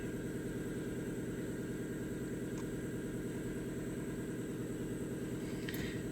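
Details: 2005 Ford Mustang 4.0L V6 with P1233 and O2 monitors not completing, idling before drive cycle: quiet steady idle, even regular firing pulse, no misses or ticks; running cleanly.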